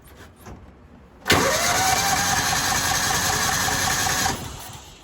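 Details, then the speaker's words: Older Kawasaki Mule 550 UTV, sat 2–3 years, breather possibly clogged and removed: starter cranks steadily for about three seconds without catching, sounds like it wants to run; hot start to be sprayed into the breather next. "Okay, kind of sounds like it wants to run. I might give it a small shot of hot start in the breather there and see what happens."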